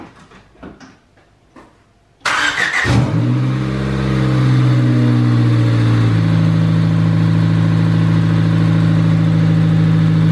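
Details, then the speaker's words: $500 Honda Del Sol, interference engine, first start after a timing belt job; short crank, catches at once and settles into a smooth even idle with no knocks; normal start and idle. "fired right up no knocks or nothing running smooth hell yeah look at that timing belt nice and tight"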